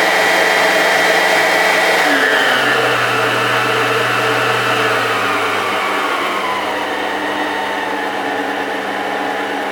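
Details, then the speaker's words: Old Kenwood Chef KM210 mixer, reported as having speed control not working and always running flat out, though the actual fault differed. After repair, the motor whine drops slightly in pitch and settles, smooth and even with no grinding. It is fixed and healthy. "It's not particularly thrilling, but you can hear. She's fixed. Not bad at all."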